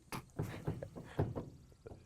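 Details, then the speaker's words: 1966 Ford Falcon with the 200 six. The brake pedal is stuck; working it back and forth gives scattered dull clunks and creaks with no smooth travel. Seized pedal from a failed master cylinder that needs replacing. "that's never a good sign that tells me that even if we were going to stay with what we've got on here we would have to put a new Masters on it because I can hear the pedal moving back and forth"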